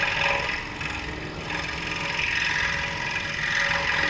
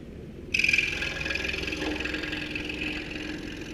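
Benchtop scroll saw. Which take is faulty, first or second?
second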